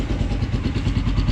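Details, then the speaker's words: Blackbird 250 single-cylinder motorcycle after engine repair (cylinder seized, apparently run without oil): even steady idle thumping about six beats a second, no knocks or rattles; fault fully repaired. "pero sí amigos feo que hacía ya parejita amigos Ahora sí podemos decir que la falla quedó totalmente reparada"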